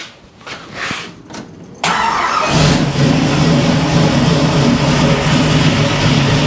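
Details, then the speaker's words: 1971 Chevy Nova with mufflers just fitted and distributor loosened for timing: cranks briefly, catches cleanly, settles into a steady even burble with no misses or exhaust leak ticking; healthy start and idle. "Sounds good. Don't hear any exhaust leaks."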